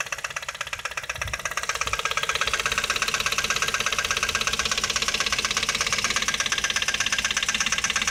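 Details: Ford Focus 2 1.8 at idle: sharp, fast, regular ticking knock over the engine, steady throughout; oil level checked, owners unsure of source, perhaps a bent part they touched: engine knock, cause unknown.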